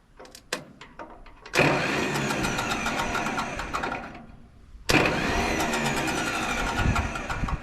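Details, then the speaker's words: Belarus 250AS diesel tractor, about 1985, sitting 8–10 years, cranked with decompression valve up and throttle wide open: two long stretches of steady churning starter cranking, never firing, no smoke; fuel not reaching the injectors, no start. "So you'll start seeing smoke from the stack hopefully. And then um if we can get it there, we will see if we can get it to start. Here it goes. And nothing"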